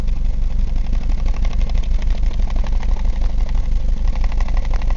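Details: 1999 Ford Escort ZX2, 2.0 L DOHC Zetec: low, lumpy idle with uneven tailpipe puff about three times a second; misfire with heavy blow-by, cylinder two 25 psi, others fluctuate; lower-end damage suspected.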